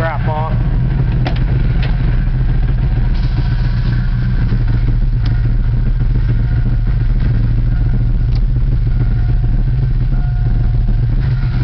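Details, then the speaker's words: Car started at the shop; steady heavy low idle rumble with no misses, exhaust very loud and fumes bad. "so i know that was crappy sound and this car is real loud nice it shows the lightning crap"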